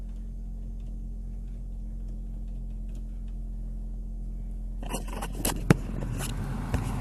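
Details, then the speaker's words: Acura with a cold engine idling; after blower motor resistor replacement the fan comes on with rushing airflow and a smooth hum, no rattle; normal blower operation. "came on the blowers on nice cold air cuz the car is still cold but you can feel a little heat coming through now it's working"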